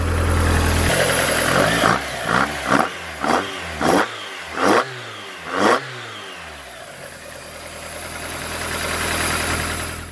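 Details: Mazda Miata (MX-5) with Toyota 4A-GE 20v individual throttle bodies, just after synchronizing; steady idle broken by quick, crisp blips that rise and fall cleanly, then settles back to an even idle with the throttles balanced.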